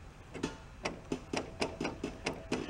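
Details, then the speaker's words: 1971 VW Bus after swapping in a rebuilt transmission, heard from underneath while adjusting the clutch: sharp, slightly uneven metallic ticks, about three a second, as the throw-out bearing hits the back of the pressure plate; pedal free play needs adjusting. "they pull them it you actually hear the throw out bearing hitting the back of the pressure plate"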